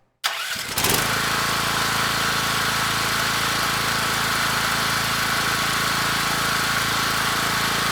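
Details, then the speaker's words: Rebuilt Champion 458cc dual-fuel generator engine (original dropped a valve at about a year old), first start on electric start with choke on, oil sensor disconnected: catches within a second, steady even drone, no knocks or misfires; runs smooth. "so let me get you set up a little bit better we'll hit the electric start and hopefully we hear a good running engine all right choke is on here goes nothing contact"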